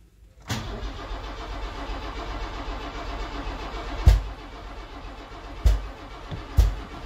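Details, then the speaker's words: 1979 Opel Monza series 1 barn find, first start attempt with rocker cover off: starter churns with heavy uneven thumps but the engine never fires despite fuel and spark; the ignition leads were out of firing order, and correcting them got it running. "still nothing now I know I've got fuel and I've got a spark and that's pointing to some other sort of problem"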